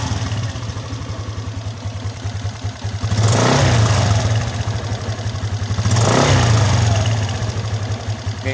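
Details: Suzuki Skydrive 125 scooter after CVT work, on a used serviced battery: an even low idle and two throttle blips that rise and fall cleanly without judder. Runs smoother than before, when it shuddered on releasing the throttle.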